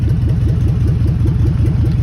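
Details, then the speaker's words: 2003 Ford FE250 van (auction lot 22) idling, also driven in reverse and forward: deep, rapid, regular puffing rumble with throaty exhaust note; suspected catalytic converter or exhaust leak, not confirmed. "Once again, another one with a catalytic converter. You can hear it, or exhaust issue on it, one of the two."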